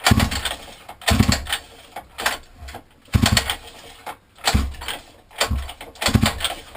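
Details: 50cc mini moto quad left outside a year, fitted with a new carb, air filter and pull start, now won't fire; rhythmic pull-cord cranking with brief chuffs, no firing; cranks but won't start, cause unknown.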